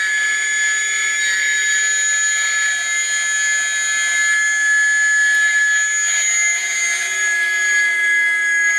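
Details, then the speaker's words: Atlas launcher gyro rotor on spin test, fed 115 V AC across terminals A and B via a 270 nF capacitor: a steady, piercing high whine with several fixed tones and no low end, very noisy at full speed. "Okay, so you can hear the gyro spinning, but it is very noisy at full speed."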